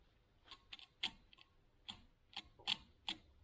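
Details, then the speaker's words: Austin Healey turn signal magnetic relays bench-tested on a battery instead of a charger. Single sharp, clean clicks with no buzz or chatter; each relay pulls down and stops as it should, so the charger caused the buzzing. "buzzing, just pulls down and stops, like it should."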